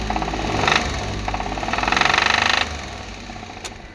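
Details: Suzuki K6A engine: sharp rapid knocking, about three or four a second, louder with each rev and fading back at idle; engine knock, cause unknown.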